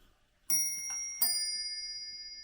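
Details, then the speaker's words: Mostly plastic or resin chiming mantel clock bought at a car boot sale, hands moved to half past: clean bell strikes about three-quarters of a second apart with a tick between, then a long even ring. A normal half-hour chime; the chimes work perfectly. "I'm show the clock chiming now so I'll show it all chiming so you move the hands around to the r past you"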